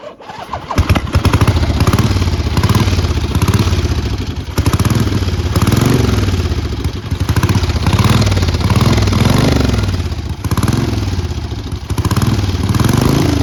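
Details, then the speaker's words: 1977 Harley-Davidson Ironhead Sportster 1000cc V-twin, 6502 miles, loose exhaust: lumpy and uneven, revs surging and sagging every second or two instead of settling. It isn't ticking over and won't hold a steady idle. "It's not ticking over."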